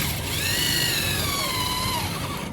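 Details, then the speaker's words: Hand drill boring a hole during hydraulic press pilot check valve work: high whine whose pitch sags as cutting load suddenly rises near the end, meaning the hole is about to break through, so hand pressure should ease; drill loading up at breakthrough. "देखो ये पता लगता है, drill का load एकदम ज़्यादा हो गया ना, तो मतलब कटिंग कंप्लीट ही होने वाली है।"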